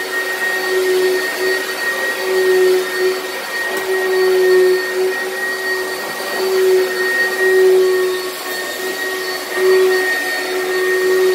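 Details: Used lightweight Oreck upright from Facebook Marketplace: a steady high motor whine with a faint extra tone that comes and goes. The weird noise is possibly from the brushroll or the fan; the source is unclear.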